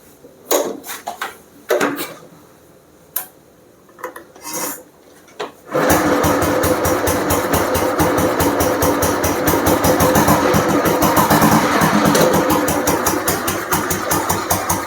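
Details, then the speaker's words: 1968 vintage Bullet single after full restoration with completely restored engine: some scuffing, then it catches and settles into an even steady thump; sounds healthy, normal start and idle. "வண்டியோட beat கேளுங்க, வண்டி beat எப்படி இருக்குன்னு சொல்லி. இன்ஜினும் பார்த்தீங்கன்னா கம்ப்ளீட்டாக restore பண்ணியிருக்கோம்."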